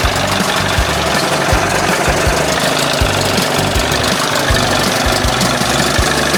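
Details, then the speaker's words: 1981 20 hp Evinrude two-stroke outboard after powerhead flush and new thermostat and gasket, fixing cold running; heard warm and steaming with a loud, even rattle, no stumbles or surging, holding steady speed: best it has run so far. "Well, don't sound too bad right [music] there. Little tweaking. Sounds good. That's the best she's done so far."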